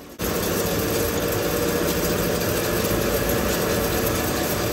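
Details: Car on lift with wheels spinning at about 50: steady low rumbling roar from the front corner, vibration felt in that side's coil spring, no knocks; sounds like a worn front wheel bearing.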